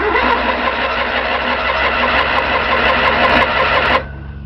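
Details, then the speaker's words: 1997 Pursuit 32ft motorhome with Chevy 454 engine, fuel near empty: steady labored cranking that never catches, with a thin belt squeal the owner attributes to heavy generator pull; no-start with a squeaking belt. "but it's it's not going to start and the belt squeaks when I do that because it's a lot of pull on the generator but it goes off"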